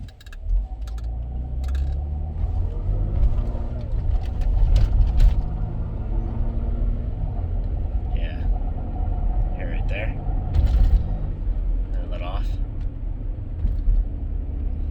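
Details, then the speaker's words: 2008 Volvo XC90 under acceleration before repair: deep engine rumble swells under throttle with loose clattery knocks over it; the worn upper engine torque mount (torque strut bar) lets the engine rattle and gets replaced. "that's the noise that's the noise that bar makes so we're gonna replace it and see how that works"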